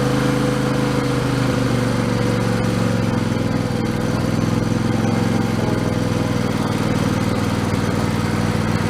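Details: Husqvarna YTH2454 mower, Intek V-twin 24 hp, after a carburettor rebuild with a kit: steady, even drone at constant speed with no misses, surging or knocking; runs smoothly.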